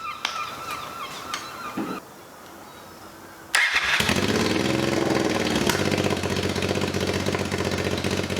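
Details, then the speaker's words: Budget scrambler build motorcycle with a custom exhaust and a new dB killer: quiet, then it fires and runs hard and loud with a sharp, crackly bark. Measured about 90 dB at idle, 100 revving and 115 when it pops; too loud. "all right so that's 90 idle 100 when you're revving it and then 115 when it pops too loud"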